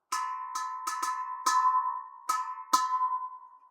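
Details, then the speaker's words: Boiler expansion vessel recharged from zero to its 3.5 bar pre-charge: tapping it gives a clear, hollow, bell-like ring, showing it is correctly pressurised rather than dead and solid. "nice and Hollow"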